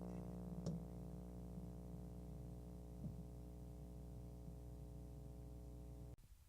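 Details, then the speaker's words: GenRad Type W10 Variac, just plugged in with the coil energized, before rewiring its wiper wiring: a steady mains hum at 60 Hz, 120 Hz and further harmonics, confirmed by FFT. Rewiring is hoped to remove it. "when the varc is first plugged in and the coil energizes you can hear the humming from the 60 HZ and 120 HZ whatever harmonics"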